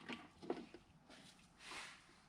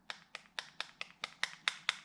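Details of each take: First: Freshly rebuilt jet ski X2 two-stroke engine during a compression test: steady, even cranking pulses, with both cylinders reading almost 200 psi. Heavy assembly lubrication makes the numbers unreliable, so a recheck after running is planned. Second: Jet ski X2 two-stroke engine rebuild: sharp, light metallic ticks about four a second from a reed petal slapping the reed cage because it is installed the wrong way. Flipping it so it is preloaded against the cage stops the noise.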